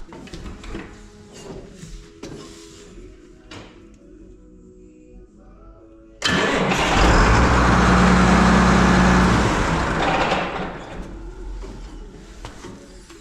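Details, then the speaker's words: Farm tractor cranking on only one battery after a dim-dash, click-only no-start traced to a suspected poor cable connection with corrosion at the other battery's terminal: quiet, then brisk even cranking about four turns a second before the diesel catches and settles into a steady run. "okay there we go it's only starting on One battery which is still pretty impressive that it will start on One battery"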